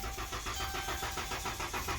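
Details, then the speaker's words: Engine with a TIPM fault, battery at 2.4 V and jump-started, starter reportedly replaced: starter spins it with an even quick chug, about four turns a second, but it never catches; no fuel pump, fuel pump relay failure. "y'all hear that so let me get this straight they put a starter on it because it won't start not because it won't crank"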